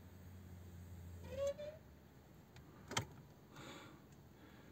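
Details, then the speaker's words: Lada Vesta after replacing the fuel pump's coarse and fine filters: ignition switched on with the battery terminal refitted; a short low electric hum for about a second, then light clicks as it stops, which is normal fuel pump priming. "включаем зажигание и слушаем как бензонасос заработает"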